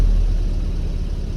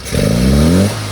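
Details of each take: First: Engine blips cleanly with no flat spot after the damper oil was adjusted to keep it rich on throttle opening, then drops straight back to a steady idle without fluctuation during on-the-road carburettor tuning. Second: Engine on an on-road carburettor tuning session, nearly rich at steady throttle: a short rev blip rises, flattens and drops off without pulling cleanly; it goes very lean as the throttle opens, so the damper oil needs adjusting.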